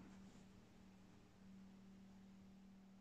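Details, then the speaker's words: HANMATEK HM310 bench power supply set to 12 V, current limit lowered to about 3.5 A so it enters constant-current: faint steady buzz around 190 Hz as it vibrates and cannot hold regulation; oscillation in constant-current mode. "which it did it did pull in but you can hear the noise coming out so it's vibrating"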